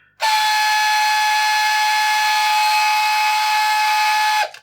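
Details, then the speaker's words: Addams Family Thing coin bank that is not grabbing coins. A thin, high motor whine holds one steady pitch for about four seconds without cutting out. The mechanism does not stop, likely because the hand never reaches its end position at the coin box; cause suspected, not confirmed. "It's not going to stop. Uh, I'm going to take a guess that it should stop once it's taken the coin and put it in the box. That's when it stops."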